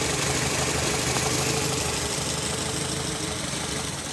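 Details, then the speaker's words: Nissan Latio (Grand Livina engine) at idle after repair for a limping, misfiring engine: even steady beat, bright top end, no skips or stumbles; running normal and stable again after replacing the ignition coil. "jadi demikian teman-teman video saya kali ini mobilnya sudah kembali normal dan stabil Ya hanya ganti kuil saja"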